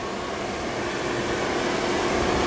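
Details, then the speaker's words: 1976 Ford F-250 heater blower motor, newly wired and mounted during heater core replacement, heater hoses not yet connected: even, steady whoosh of air with smooth motor hum, no ticking or scraping; blower runs normally. "all right guys we got wired and mounted uh I don't have the water hoses on yet but we we'll uh start the uh electric motor"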